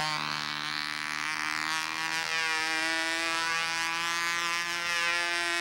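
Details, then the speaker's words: Model aircraft engine in flight. A high, thin buzz rises and falls and stays lean through the whole manoeuvre, which relates to fuel tank height and shimming: lean running. "it's staying lean for the whole maneuver now"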